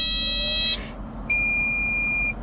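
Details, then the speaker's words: Kubota KX033-4 excavator (owner thinks 2019) started after its 1000-hour service; two steady high beeps, under a second and about a second long, over a low diesel idle; normal startup warning beeps. "Lots of beeps."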